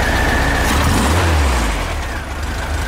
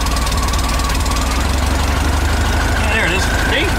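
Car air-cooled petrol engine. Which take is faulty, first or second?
second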